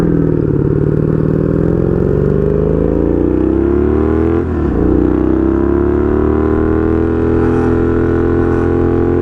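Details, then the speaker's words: 1982 Honda Magna V45 VF750C V4 with straight pipe, after a short ride: idle has a slightly lumpy, wandering beat with pitch drifting upward; owner believes carb synchronization is needed. "Yeah, definitely need a carb synchronization here."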